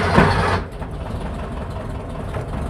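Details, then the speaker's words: Engine started after installing a valve spring shim on the head and checking exhaust valve clearance (0.008 in), to cure a clickety-clack from the head: steady even idle around 800–850 rpm, no clack; healthy. "no clack that is a good sign okay rpms lot 800 850 somewhere in there there is no class"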